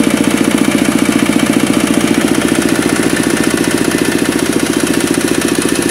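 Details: Kubota RD65DIS single-cylinder diesel driving a clay grinder after cylinder head refit and timing check: exhaust smoke gone, steady thumping beat with a slight harsh, gravelly edge from worn engine gears.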